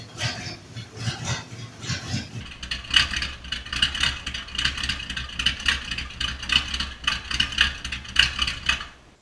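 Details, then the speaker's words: Body-swapped 1948 International rat rod panel truck at first start in two years: a V8 idles unevenly with a loping, stumbling beat, caused by a massive vacuum leak under the throttle position shaft, found by smoke test. "Well, it's running, but sounds like Smoke test for vacuum leaks."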